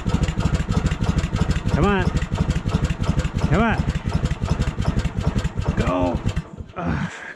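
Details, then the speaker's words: Woodland Mills HM130 sawmill, 14hp Kohler pull-start, cold start at -26°C: quick chugging bursts catch briefly then die; engine keeps failing to stay running despite repeated pulls. "okay well it's not so cold anymore at least I don't think it is but we're not winning the battle here"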